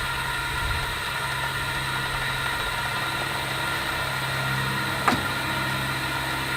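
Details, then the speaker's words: LSR UV packer loading for a 6-inch pipe point repair, steady rush of air over a low hum with one sharp snap as the tape unrolls against the pipe; normal inflation, device fully rolled into place. "But then after a minute, minute and a half, when it's unrolled, sometimes you'll actually hear the tape banging in from the pipe when it snaps, and you can hear the boom, boom, boom as this tape unrolls."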